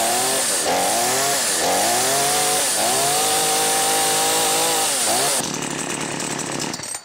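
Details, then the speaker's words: New XtremepowerUS 45cc two-stroke gas chainsaw, first cold start after 3–6 choked pulls then choke pushed back: catches and runs with a raspy high buzz, revs swelling and settling evenly, white smoke when cold; normal cold-start running. "You heard the sound? It's going to start. So you put the choke back."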